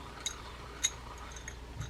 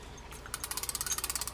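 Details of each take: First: Vintage Shakespeare 2062 spinning reel, frozen by dried grease, being serviced and oiled. Turning it gives a few faint, sharp, irregular high chirps from the spool, possibly sand inside. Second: Vintage Shakespeare 2062 spinning reel during service. After rotating the spool under a quarter turn the chirp is gone, possibly sand or debris on the side wall. Now an even, quick ticking that turns freely.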